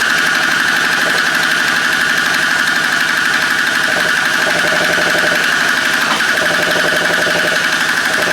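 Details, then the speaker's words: Free stand-up two-stroke jet ski after the case vacuum line was rerouted to the other side of the carburetor, once it needed a moment to prime fuel: a fast, fairly steady buzzing beat around four pulses a second. It is now running properly. "Alright, I think that still was right. It just needed a sec to prime the fuel."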